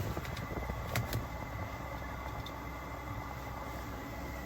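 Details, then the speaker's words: Webasto Airtop 2000 air heater newly fitted to a Citroen Ami, heard firing up with exhaust fumes at the rear: steady low whooshing hum and even fan whine, no knocks or surging; sounds like a turbo inside the car; running normally. "oh I can hear it now fire up now yeah I can hear it I can smell these FES yeah so that's coming out the exhaust the back no no and then in the car it sounds like a turbo"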